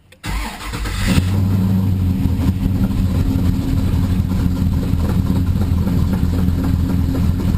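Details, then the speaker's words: G-body with LS3 525 swap, stone cold after sitting about a week, 3,381 miles: starter whirr, then the V8 catches at once and settles into a steady, even, deep idle; clean cold start, though running a little rich and needing a tune. "The motor is stone cold. It hasn't run in about a week or so. So I'm about to start it up now, and I just want you to see what goes on and how that works out."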